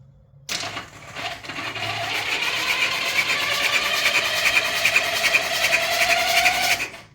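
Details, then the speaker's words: 1979 Honda Goldwing that sat about five years, cranked for the first time in about a year with the fuel not turned on: an even, steady six-second starter whir with no firing, the starter sounding good. "the starter sounds pretty good but it might help if you uh turn the gas on you know that tends to do something"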